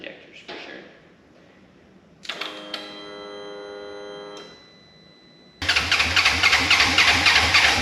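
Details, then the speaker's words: Wrecked 2016 Polaris RZR 900 S, battery weakening: starter churns steadily three or four times a second but never fires; owner blames injectors. "kill the battery we're done fortunate but we know the injectors are a problem"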